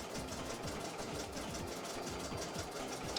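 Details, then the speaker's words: Embroidery machine filling in blue on a test design before going out. Quick, even needle ticks at about seven a second over a light motor whir. Normal stitching. "but see it's just filling in the um the blue"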